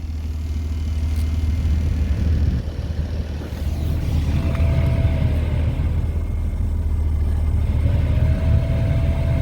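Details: 2006 Chrysler Town and Country after blower motor replacement and recirculation door actuator refit: a smooth, even deep fan roar with no squeal or ticking, plus a brief soft whir as the recirculation door moves. Normal blower operation.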